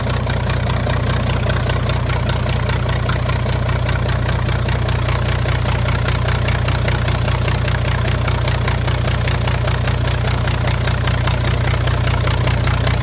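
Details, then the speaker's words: Freightliner Cascadia DD15 diesel with replaced cylinder head, customer reports burning about a gallon of oil a day, idling with exhaust manifold and turbo off: very loud sharp even chuffing from open ports, oil pushing from number 3 exhaust port. "There you go, guys. So that's what it sounds like when you actually have the manifold off there."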